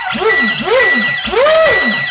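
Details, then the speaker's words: FeiLun FT012 RC boat after motor replacement, on stock battery: high motor whine sweeps over three quick throttle bursts, crisp and strong with no rattle; normal motor run. "Oh, it sounds angry too."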